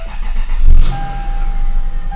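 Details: Lexus GS400 after the ECM with the throttle-body fault was repaired: a short crank catches and settles to a steady, even idle hum with no misses or odd noises.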